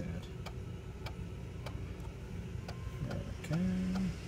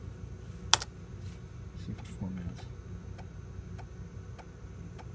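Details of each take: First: Macintosh PowerBook 165 floppy drive formatting a disk after initially sounding rough: steady light clicks about three a second as the head steps tracks, then a brief seek whir; formats successfully, drive working fine. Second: Macintosh PowerBook 165 with its original internal hard drive, during boot after an LCD capacitor repair: after a few clicks, a faint regular tick roughly every 0.6 seconds over a quiet background; the hard drive is ticking abnormally.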